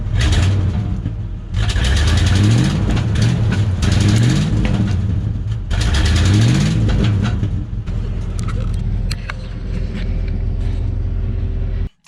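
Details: 1996 Ford F250 4x4 that sat a long time, first run, engine blipped repeatedly. Harsh, raw, overly loud rasp; leaking worn-out exhaust, needs new manifolds, muffler, catalytic converter and tubing.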